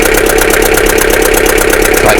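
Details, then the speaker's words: Abandoned Bedford CF2 van diesel started after long storage: loud, uneven idle with a hard knock about twelve times a second, seemingly on about three and a bit cylinders; heavy crankcase blow-by, tired engine running rough. "I mean I think that's about three and a bit cylinders you look in there can you see that look at that the grand case Blow by"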